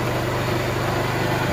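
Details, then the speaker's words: Honda motorcycle after full engine rebuild, kick-started with choke pulled: even, steady thumping idle with no knocks or rattles, some silencer smoke from diesel washing; normal idle. "Engine sound అయితే వినండి friends main engine sound వినండి sound main important అన్నమాట"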